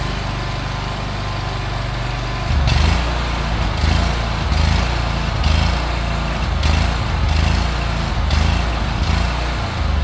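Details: Craftsman Z6400 zero-turn mower after hydro drive belt replacement: steady low engine drone swelling briefly as revved with blades on; runs evenly with no misses or knocks.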